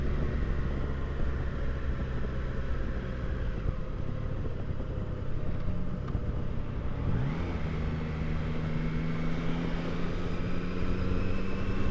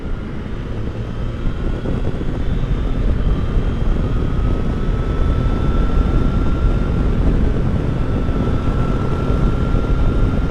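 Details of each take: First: 2022 Triumph Tiger Sport 660 riding after its 600-mile service: loud whirring whine from about 37–38 mph, rising in pitch with speed, with vibration through the footpegs; chain adjusted far too tight. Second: 2022 Triumph Tiger Sport 660 riding past 40 mph after the dealer loosened an over-tight chain following its 600-mile service: steady engine drone with wind noise; the earlier whine and footpeg vibration from about 37 mph are gone.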